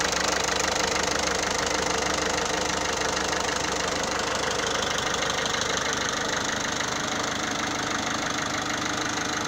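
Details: 1.6 HDi diesel at idle, owned three years, servicing done: steady idle with a regular light knock about three or four a second; owner feels the sound has changed, another mechanic called it normal; cause unconfirmed.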